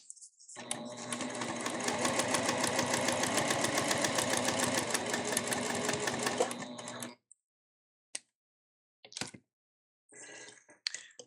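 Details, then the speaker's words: Elna eF1 semi-industrial sewing machine, new, stitching through up to four layers of marine vinyl and waterproof canvas: even, rapid clatter about three and a half stitches a second that never skips or stumbles; healthy, no tension issues. "as you saw it and heard it it did not skip a beat through all those layers and the stitching still looks just as nice"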